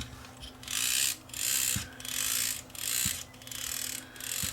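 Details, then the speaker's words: Free used DVD player: motor whirs in bursts with a sharp tick about every 1.3 seconds, once per gear turn; very likely a cracked gear. "i hear a ticking sound there which is very likely a crack in the gear so let's just open this up and see whether there is a crack in one of the gears"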